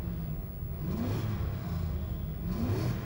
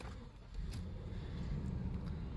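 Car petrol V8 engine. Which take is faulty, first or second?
first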